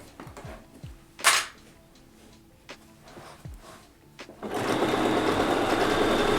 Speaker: i'm gonna have to oil my walking foot because this is squeaky i don't know if you can hear it but this little this little walking foot here it is squeaking it might need some oil